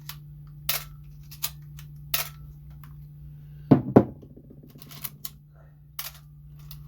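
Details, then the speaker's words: Canon AE-1 after the shutter squeak/slow shutter fix with a tiny drop of lubricant: crisp single shutter clicks firing cleanly and quickly over faint room hum, no drag or squeak. "so now when we release the shutter it shouldn't go pretty quick panel yep you see that see how quick it is now"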